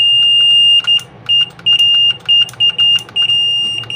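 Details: LG front-load washing machine control PCB after fault tracing and repair, being tested button by button: short, clean high beeps come in quick bursts as keys are pressed; the board responds normally to each command.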